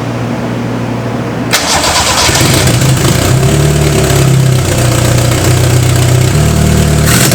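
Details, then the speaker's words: Toyota 4A-GE with bike carb conversion and a large hole in the exhaust manifold: fires after about 1.5 s into a loud, raw, uneven idle with a blatty exhaust note; exhaust manifold leak. "because when we fire this car up we're going to hear what a for eg engine sounds with a massive hole in the exhaust manifold so the neighbors are probably gonna call the cops"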